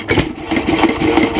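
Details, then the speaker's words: 1926 Nelson Bros. hit-and-miss engine running with spark timing advanced: sharp, crisp pops in quick regular succession over flywheel clatter; fires significantly harder than with retarded timing. "you can hear it hits significantly harder"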